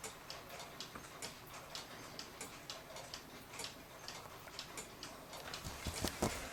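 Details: 1940 Lux cuckoo clock with a one-day double-weight movement, reassembled: a crisp, evenly spaced, quick tick-tock with no skips or drag; the movement runs cleanly.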